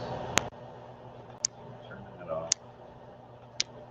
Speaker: it is off it's still clicking well i hear it quick it's that fan that fan has been on through every single one of our